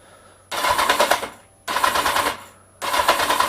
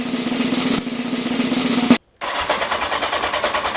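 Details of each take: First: Kawasaki Z750 after starter motor rebuild, previously squealing and crunching for years; three one-second cranking bursts with a rapid harsh rattling crunch each time; owner suspects starter motor or starter gears, not confirmed. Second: Kawasaki Z750 starter motor just rebuilt after years of squealing and crunching, brush cap orientation corrected; starter spins with a steady even whir without dragging, then quick even pulses as the engine catches; starter working properly.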